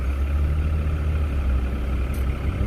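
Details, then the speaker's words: 2004 Chrysler Crossfire, one mile after an AMSOIL engine flush and oil change to AMSOIL European 5W-40: warm idle is a low, even, whisper-quiet hum with no ticks or misses, barely above surrounding traffic. Normal idle. "how's the idle feel right now nice it's very it's very smooth it's very clean yeah you can hear the other cars but you can't hear this thing it's like whisper quiet yep"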